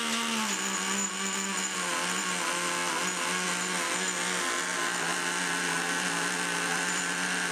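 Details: Rebuilt Traxxas T-Maxx nitro engine, carburetor cleared of debris and broken in: high, steady buzz holds evenly with small pitch dips; running cleanly.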